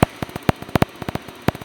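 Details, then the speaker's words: RV gas furnace, not working at 30°F overnight: gas smelled, sail switch ruled out, sharp dry clicks in uneven bursts without burner catching, no spark; owner suspects striker/electrodes, unconfirmed. "You still smell gas, but not getting any spark."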